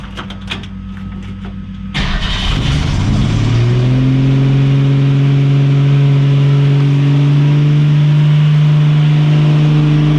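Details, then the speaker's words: 1965 Mustang straight-six, accelerator linkage left disconnected: engine catches and instantly races to a steady wide-open roar with no let-off; throttle stuck at full tilt. "Clearly I forgot to hook something up. Oh, yeah. Whoops. Never hooked up the accelerator linkage. She was on full tilt."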